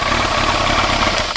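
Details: 1999 Yamaha R1 four-cylinder motorcycle started after replacing fuel lines and fuel filter, checking for leaks: quick, even idle with steady patter, no misses or stumbles, settling cleanly; idling normally.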